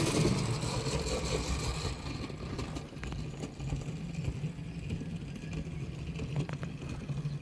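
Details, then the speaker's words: HST model locomotive with CD motor and DCC conversion at slow, realistic scale speed: quiet, even motor whir with soft track rumble, no stutter or grinding; runs smoothly. "More realistic kind of scale speed. It seems to go alright. So I'm quite pleased with it."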